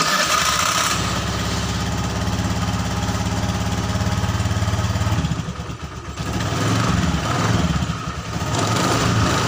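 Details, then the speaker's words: Honda Scoopy FI scooter CVT after reassembly, idling and blipped: the rough rattle is reduced but a faint coarse rattle remains under the drive noise; clutch next to be inspected. "Nah, untuk suara geredek kasarnya atau suara kasarnya itu sudah berkurang ya teman-teman. Tapi masih ada sedikit."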